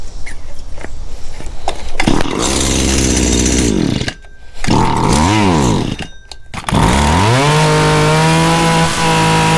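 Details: Small engine started after fuel line and filter rework, primed and choked; a few choked false starts, then catches and holds a steady high buzz evenly. Normal running.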